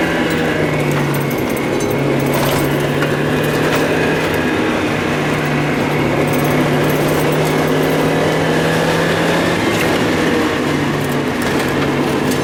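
Running engine hum with an uneven rhythm, catching and dipping several times over twelve seconds; an intermittent misfire whose cause isn't evident.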